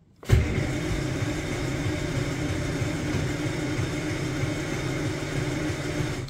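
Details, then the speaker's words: 1949 Armstrong Siddeley Lancaster, first start in a year, hot day, choke partly out: engine catches abruptly after struggling crank and runs with a rough, uneven low burble, still struggling to settle. "okay so as I expected she's not starting straight away struggling"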